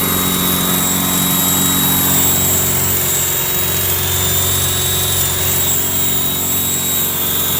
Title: B230 making weird noises